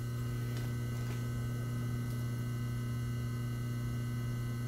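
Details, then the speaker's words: Atlas 10-D lathe motor after bearing repair: steady, low, even hum with constant tone and no knocking or grinding; runs smoothly and sounds healthy. "yeah but I know it's a beautiful sounding motor right there"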